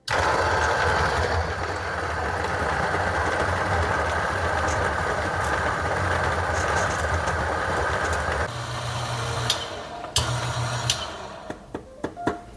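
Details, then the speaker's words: Niche Zero grinder at setting 35, grinding about 18 g of beans: steady, even motor whir with crunching for about eight seconds without bogging or struggling; grinder running healthy. "And you could hear it grinding, right? It's not struggling at all."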